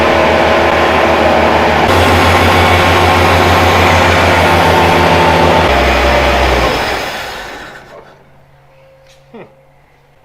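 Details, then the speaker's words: Toyota Land Cruiser FJ40, first run after 20 years sitting in a field: petrol engine runs steady and even, then dies as fuel runs out; fuel pump leaking, needs a seal; the motor sounds good. "you don't want to drive it without leaking anyway because we don't want to burn this thing down but it runs and the motor sounds good"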